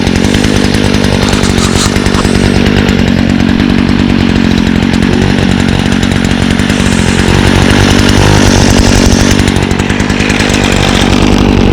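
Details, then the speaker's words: Stihl FS56 trimmer (2017) with Stihl easy-start system, choked and primed after seasonal storage: crisp, steady two-stroke buzz holding even revs without stumbling or surging; flex cable shaft makes it vibrate a lot; runs healthy. "and now very similar to the echo it has the um steel's easy to start system so it's pretty similar um it promotes easy starting so i'll demonstrate that now see how easy that is uh"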